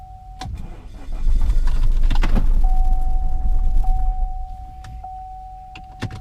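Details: Cheap 2.0L diesel Chevy Cruze: a long crank, then a brief, shuddering, lumpy run that sags and nearly dies; the cause is bent valves and broken rocker arms.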